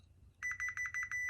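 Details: Chevrolet Tahoe with a P0300 misfire code, probing the driver's side coil pack harness pin for cylinder 1 with a multimeter: sharp high beeps, about six a second with one short gap, so the pin shows good continuity.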